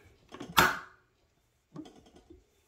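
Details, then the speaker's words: Embroidery sewing machine, oiled beforehand, hand wheel turned slowly by hand: one sharp pop then soft irregular clicks as the needle sticks and releases; lint-clogged nipple needing cleaning. "okay everybody short video on how you know you are past time to clean out your nipple"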